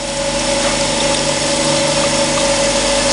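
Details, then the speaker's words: Surface grinder wheel while grinding a collet block square, fed in half-thou steps: steady high hum with faint rhythmic pulsing each turn; wheel slightly out of round/off centre after startup, being dressed and improving; out-of-round grinding wheel. "Here that wheel is not quite round at the moment. Don't know how that happens. The wheel moves, start up, and you end up with a wheel sitting slightly off centre, I suppose."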